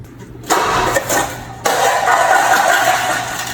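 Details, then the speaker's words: 1958 Ford F100 truck that sat abandoned for 50 years: a short crank and a couple of sputters, then it catches and settles into a smooth, even idle with no smoke. Normal start and idle. "She sounds so cute. I mean, if that don't pop your corn, what does, you know? There wasn't even no smoke."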